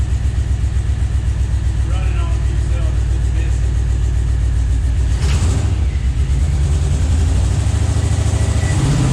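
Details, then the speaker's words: Scout 80 with junkyard LQ4 6.0 V8 swap, fresh first start after sitting: settles into a lumpy, uneven chug with stumbling beats as cylinders drop out; a few injectors are believed to be sticking and will be pop-tested. "so i believe we've got a few injectors that are sticking"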